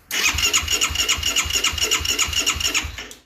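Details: 2009 Yamaha YFZ450R, fuel-injected with electric fuel pump: even starter churn about 3.5 pulses a second for three seconds without firing. Crank, no start; injector waveform looks good (5.1 ms), and a weak fuel pump is suspected, not confirmed.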